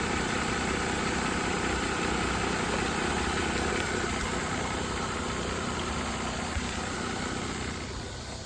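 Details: 2010 Mercedes ML350 that arrived dead with no module communication from a single-wire CAN line short at the overhead control panel: steady, even idle with a smooth rhythmic beat and no misses or knocks. Normal idle.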